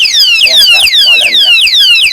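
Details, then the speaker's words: Key-activated anti-theft alarm lock for a parked motorcycle, second-attempt full alarm stage: loud, shrill falling siren sweeps repeating about three times a second; it is sounding as designed. "Kung may ganito ko nga, ewan ko na lang kung hindi ma-alarma yung kukuha ng motor mo."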